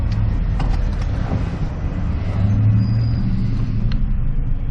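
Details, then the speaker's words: Vehicle at dealer-only auction, already warmed up, check engine light on but no misfires, in drive with a little gas: steady low engine rumble firming slightly under light throttle, no knocks or stumbles; pulls smoothly, normal. "Now, typically, I'll give it a little bit of gas, see if it pulls, which it totally is."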